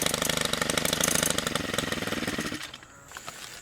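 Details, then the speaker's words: Stihl FB131 trimmer (two-stroke) converted from bed redefiner to string trimmer with bump feed head, warming up after starting on medium choke: crisp, even buzz with steady firing, settling as throttle drops; normal running. "we'll let it warm up for just a second and then we'll uh try it out in these weeds right"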